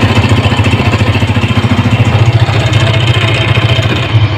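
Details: Honda motorcycle at idle: a quick, loose clatter riding on the beat, like tappet noise, traced to the flywheel magnet rotor whose weld has broken; flywheel magnet rotor rattle from broken weld.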